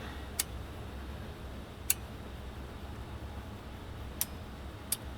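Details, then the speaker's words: Kenwood KR-6050 receiver after its pots and switches were sprayed and cleaned, powered on: crisp single relay clicks over a low hum. The protection relay pulls in quickly and cleanly, a good sign. "wow do you hear how fast the relay came in that's that's a good sign"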